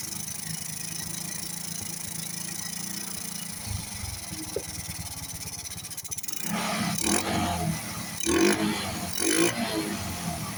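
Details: Honda RS/XRM 125 carbureted motorcycle after draining petrol suspected contaminated with diesel; small single ticks at steady idle, then picks up cleanly on throttle blips; problem solved, normal idle and revving.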